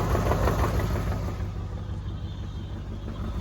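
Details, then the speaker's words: 1994 Corvette (manual) on a drive after a radiator flush and core plug change: low steady knock about three times a second under the idle, seemingly from underneath, no leaks; owner suspects a loose exhaust. Cause unconfirmed. "The knocking noise is back. It sounds like it's coming from under here."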